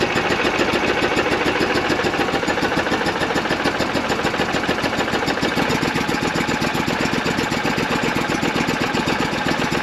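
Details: Argo Avenger EFI after fuel pump and filter replacement: quick even pulsing at steady idle, no misses or stumbles for ten seconds; engine running smoothly.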